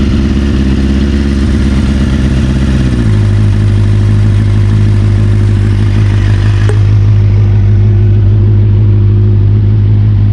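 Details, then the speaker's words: 1992 Kawasaki ZXR400 L2, sat for years, after new carb mixture screws and O-rings: strong steady exhaust note dropping cleanly from fast idle to even settled idle, no misses or hunting; runs perfectly. "I can't believe it it runs perfectly now"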